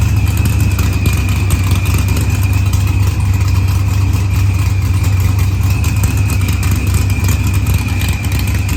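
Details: Dodge Challenger with supercharged LS swap and zoomie headers, after blown head gasket and fuel pressure sensor fixed, firmware V6 220, timing 27° (target 28°): deep steady V8 rumble with brief rev and faint whine, settling evenly; idles smoothly, no misfire.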